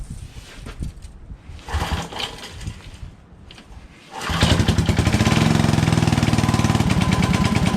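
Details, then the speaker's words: Toro 58-inch professional 3-gang reel riding mower after repair, fluid levels checked, started for first test drive; catches at once and settles into quick even beat, no hesitation; forward and reverse work: normal running. "It's running very well. Doesn't hesitate at all."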